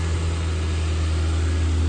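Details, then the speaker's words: 2005 Lexus IS300 just fired after sitting a long time, with new alternator, Denso iridium plugs, cleaned throttle body, HKS cat-back exhaust: smooth, deep, steady petrol idle, no ticks, misses or surging. "she fired up it's been a long time so she's got a hide all she's figuring herself out got to take that off of demo mode sounds good smells"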